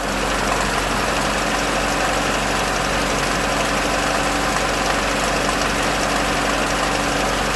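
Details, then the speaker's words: Chevrolet Lacetti 2007, 1.8 L engine, revved lightly: steady metallic rattle and ringing over a noisy engine from vacuum-actuated intake manifold flaps whose worn shaft bushings let them knock; intake manifold flap rattle. "сейчас вот заведу покажу так вот я завел немножко дам газу сам мотор по себе шумный но вот слышно"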